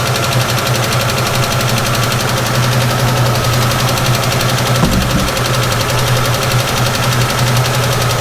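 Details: 1967 Ford Mustang, long-sitting, carburetor suspected to need rebuilding, cold and idling rough on heavy choke: fast, even ticking over the rumble, a rattling PCV valve rather than a true valve tick.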